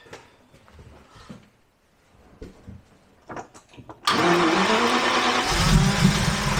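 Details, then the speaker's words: Jaguar XJRS V12 flooding on an external fuel supply; fuel pressure measured about 40% too high for a regular 6-litre, so a pre-HE adjustable regulator was fitted inline. After handling noise, steady fast cranking with the throttle jammed wide open never catches while clearing the flood. "It's definitely getting flooded right away. Alright, let's disconnect that and then we'll jam this here and we'll see if we can clear the flood."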